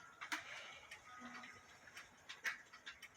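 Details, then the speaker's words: Regula 701 one-day cuckoo clock movement reassembled with fan blades on, now on the specified 420 weights instead of heavier ones: crisp, light ticks with no scraping or dragging, running freely. "I got 420 on them now, but as you can see, it's working just fine with the weight that it calls for. No noise."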